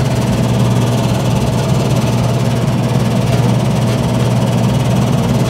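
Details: 2013 Lennox system, about seven years old, air handler with previously replaced blower motor: loud constant droning hum with buzzy vibration shaking the cabinet; technician is sure the noise comes from the blower motor.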